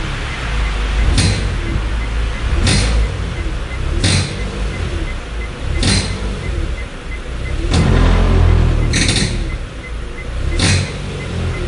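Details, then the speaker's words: 2015 Hyundai Solaris 1.6 L 123 hp, 6-speed automatic, about 65,000 km, held on brake while throttle blipped sharply, recorded outside: low roar with sharp crackling knocks; powertrain mount knocking against a skid plate bent in deep snow ruts. "Я записал когда педаль нажимал резко педаль газа при этом также двигать Ну машина находилась в заторможенное состоянии не двигалось но Звуки были вообще пугающие прямо съёмка снаружи"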